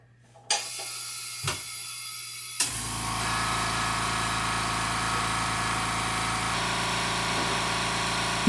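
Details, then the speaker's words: New air compressor heard at its new location; a few clicks then a low, even hum with fine pulse, very quiet, nothing wrong. "It's not very easy to tell how quiet it is through a video, but please take my word for it that this is the quietest air compressor I have ever heard."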